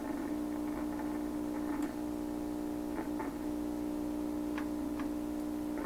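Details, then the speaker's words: 1928 RCA Victor Model 28V radio during trimmer alignment: irregular sharp crackles and pops over a steady low hum about every second. Loose elements in the tubes are suspected, not confirmed. "Come on, who's making the noise? Could be loose elements in tubes."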